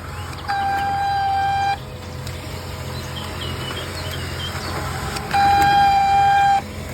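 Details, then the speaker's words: Canon LBP2900 laser printer: loud steady horn-like squeals while printing, caused by worn heat-resistant plastic bushings of the fuser pressure roller; replacing the bushings restored normal operation. "the cause is due to the heat resistant plastic bushing of the pressure roller bushings which need to be replaced with new ones"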